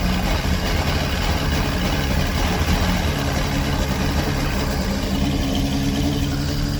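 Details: 1989 Bayliner Capri 18ft with a Chrysler Force 125hp engine and L drive, first start after replacing the head gasket, impeller and missing thermostat, probably on old gas, in cold weather. A steady, even low drone without misses or knocks. It smokes from old oil and may need adjustment.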